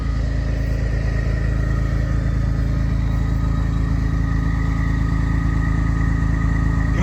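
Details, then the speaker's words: Engine idling after an oil change and drain crush washer replacement, lights checked due to earlier multiplex malfunction from water in a computer; even, steady thrum about three pulses a second, no tapping or knocking. Normal running engine. "that thing sounds good. All done."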